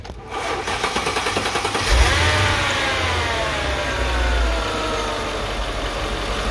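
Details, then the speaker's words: 2005 Mercedes E55 at 165,000 km, check-up: after a brief crank with some difficulty starting, it settles into a smooth, even idle with no knocks or misses, a normal idle. "nice and smooth there was a difficulty on starting"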